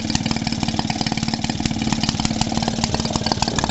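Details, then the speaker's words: Maytag Model 72D washing machine single-cylinder engine, warmed up under load with short open exhaust: sharp, loud popping exhaust at about four surges a second, harsh and noisy; owner suspects a long flexi hose and ball exhaust would quiet it. "Would be with that type of exhaust though, I bet. I bet as soon as you had the long 8-foot bit of flexi hose and the ball type exhaust on it, it'd probably be a hell of a lot quieter."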